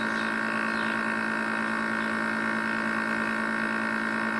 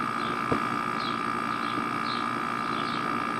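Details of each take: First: Air conditioner compressor running loud, steady hum and strong buzzing with no fan rush; condenser fan stopped so unit overheats without ventilation of hot air from the coil and may trip; louder than it used to be. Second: Outdoor air-conditioning unit after the fan started: steady even hum with a thin constant tone as pressure drops, running normally and much quieter than before.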